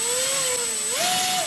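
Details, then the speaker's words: HobbyKing EZIO 800 electric RC glider motor on a speed test with the suspect ESC swapped out. Clean, smooth whine rises and falls with throttle, with no stutter or screech. The motor runs normally, so the original ESC appears to have been bad. "no strange no noises whatsoever very"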